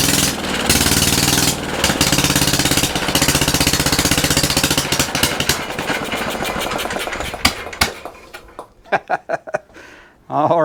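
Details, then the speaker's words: Antique Briggs & Stratton single-cylinder on a homemade mini tractor, running on its own original ignition, air filter off: quick, sharp firing barks run steadily, then space out and stop; engine running normally. "we got to hear it run that's great it's running with its own equipment no janky ignition system like I had hooked up on it early in the video that's great"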